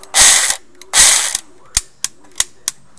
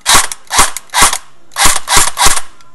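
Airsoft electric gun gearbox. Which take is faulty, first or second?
first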